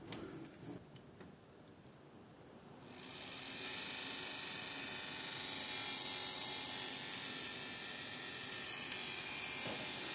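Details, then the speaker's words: Deepcool LT720 AIO cooler pump, shroud removed: quiet start, then dense, hissy crackling chatter as the pump spins up, the reported fault of crackling during operation. "Сегодня у нас в ремонте системы водяного охлаждения decool LT 720 признаки неисправности трещит во время работы"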